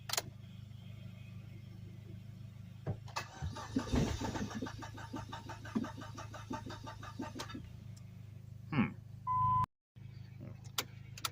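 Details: Dodge SRT4 parked since 2018, being jump-started: several seconds of rhythmic starter cranking, one brief catch, then it dies back to cranking and stops; it fires but won't stay running, electrical problems noted.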